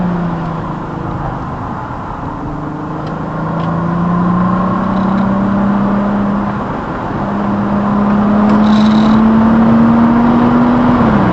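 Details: VW Atlas with ECS Tuning resonator delete pipe, filmed by dash cam: heavy steady exhaust drone climbing as the SUV accelerates, droning badly between 2-3k rpm, from an exhaust leak at rusted-through clamps.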